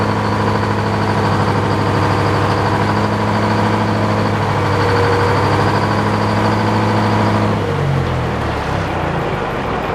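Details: Detroit diesel powering an old Frick sawmill while trimming boards: steady drone that suddenly sags and wavers near the end, speed hunting unevenly; owner suspects it is running out of fuel, not checked, cause unconfirmed.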